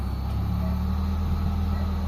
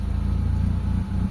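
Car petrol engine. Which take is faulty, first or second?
second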